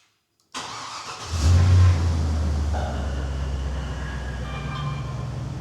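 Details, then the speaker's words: Engine started after the anti-theft system was removed with HP Tuners because the security would not program (possible BCM fault). Running with no coolant and no MAP sensor fitted: cranks briefly, catches within a second and settles into a steady, even idle with no knocks. Runs well. "So it seems to run pretty well, really."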